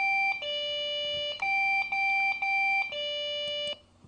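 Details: PC that suddenly won't boot, at power-on: two-tone beeps repeating about twice a second without stopping; POST beep code pointing to a memory error.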